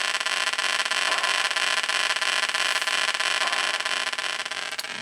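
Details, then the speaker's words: 1980 Atari Battlezone arcade PCB after regulator, cap and socket work and a new ROM: steady hiss with a regular pulsing buzz about three times a second instead of clean game sounds; a bad POKEY sound chip is suspected. "to me that sounds like we have a bad pokey chip"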